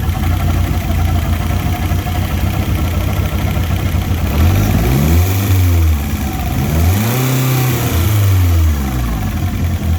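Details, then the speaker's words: Fiat Punto GT, first start in over 12 months: two throttle blips, revs rise and fall unevenly and hunt, with a chuffing noise; revs fluctuate when carb cleaner is sprayed, indicating an air leak at the intake manifold. "So we've got an air leak on the intake manifold somewhere. Yeah, 'cause you can hear the revs fluctuating every time it gets a little bit of extra combustibles."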